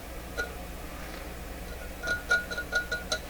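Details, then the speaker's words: BSR UA14 record changer motor, being restored after jamming, turned by hand while flipped upside down: light scratchy ticks as the dropped rotor rubs against other parts of the motor. "the motor rotor has dropped because gravity is in reverse right now, and it's simply interfering with other parts of the motor."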